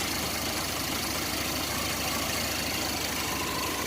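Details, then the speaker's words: 1990 Chevrolet S10 Blazer 4.3 V6, fresh plugs, wires, cap and rotor, warm (about 170°F, 40 psi oil pressure): slow, lazy idle around 650–700 rpm with a steady hiss on top, where it should be 800–1,000; idle too low. "Sounds like it's like 700, 650 RPM or something like that. It's way too low. It should be like 800 to 1,000. It's not right."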